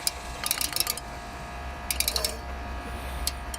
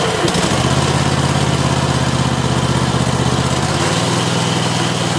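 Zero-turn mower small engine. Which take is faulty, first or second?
first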